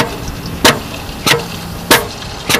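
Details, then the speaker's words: Air-operated material pump at startup, regulator brought up to 100 then dialed down while recirculating: sharp, even air clicks about every 0.6 s (about 95/min) over a quiet hiss, slowing as air is reduced; normal pump stroke cycling. "you just want it sitting there just clicking okay actually the slower the slower it clicks and I'm dialing it down you can hear it"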